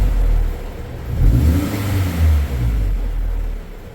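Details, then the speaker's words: Scion after a clutch replacement, in the shop: a low growling whir rises with revs when the clutch is released and goes away with the clutch pressed; it is barely heard in neutral; the input shaft bearing is worse in gear under load. "so what is that that is the input shaft bearing that's making that noise and when it's actually in gear and there's a load on it it's 10 times worse"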